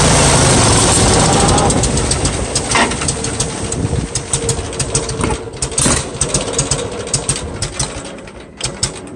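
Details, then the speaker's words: Farmall 140 industrial tractor, revived after 10+ years sitting, pulling away after a clutch repair: an uneven, stumbling beat with lumpy chuffs; a misfire because plug wires 2 and 3 were swapped on the distributor cap, so the cylinders fired in the wrong order. "I think I was running this Engine with one of the spark plug wires firing completely at the wrong time so I just looked at this old cap and rotor and I can tell where the wires used to go turns out I had two and three switched this whole time"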